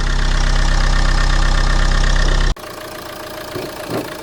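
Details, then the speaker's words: Renault Megane 2 1.9 dCi that had stalled and wouldn't restart with only 2–4 bar rail pressure, first start after new injection pump and timing belt: even diesel clatter at steady idle, then clean shutdown. Normal idle. "PSI prieteni a reușit să îi dau și prima cheie cu noua pompă de injecție amorsa tu a pornit"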